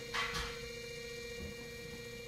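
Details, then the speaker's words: Family FSM550S 3/4HP servo motor (dial-type speed control, compared with Rex BG550W slider type) running at what is believed to be its slowest speed: steady quiet mid-pitched hum with faint mains buzz, no grinding; servo motors silent until engaged, quieter than clutch motors; normal. "several boaters are silent when you don't engage it but when you engage it they're gonna make some noise not a ton not like it's not like a clutch motor but they're still gonna make noise"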